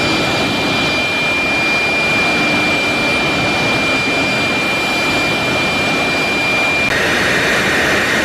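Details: GE LM1500 converted fighter-jet turbine (15,000 hp), propane-fuelled, in test cell, heard from behind and front at full power: loud steady roar with fixed high whine, no surging; running normally.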